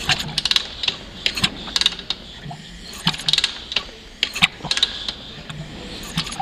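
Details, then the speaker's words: 2002 Honda CRF450R after reassembly, idling with a clickety-clack metallic knock; the cam gear bolt had come out; fixed by refitting it with Loctite and torquing. "okay so i just did a video on this a minute ago about this clickety-clacking i got going on here"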